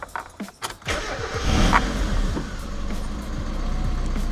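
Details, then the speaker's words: Mazda Miata after a DIY 1.6-to-1.8 engine swap with home-made wiring, the first start after refilling all fluids. It catches after a brief crank without touching the accelerator, far better than before, and settles to a steady, even idle; it runs perfect. "let's check how fast she starts this is way better than before I don't even have to press down the uh accelerator pedal"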